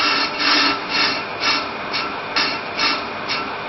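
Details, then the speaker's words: EBC Turbo Groove brake disc being machined on the car with an on-car lathe, rough cut: a clear intermittent rasping cut about twice a second, once per disc turn, showing distortion and misalignment (runout); disc needs machining. "Right. Well, you can hear a clear intermittent cutting sound which shows that there is distortion and misalignment on this disc."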